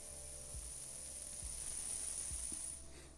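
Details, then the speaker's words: Abu Garcia Revo4 X-W-L baitcaster spool on a new micro ceramic ball bearing, held close to the mic: a thin, high whir holds for nearly three seconds over faint ticks. The old bearing barely spun. Free-spinning spool. "Wow, this one spins like crazy actually. Wow. Let's try to do that with the old one. No, it does not spin like at all without, being forced by the mass of the spool. And this one just goes."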